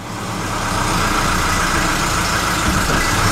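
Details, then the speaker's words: Volvo 740 just started, idling in an enclosed space; steady even hum with smooth low throb, no knocks, misses or squeals; engine idling healthy, very light clutch. "Oh, got lights this time. Oh, ho, ho, ho. Yes! Volvo is alive. Gordon's alive!"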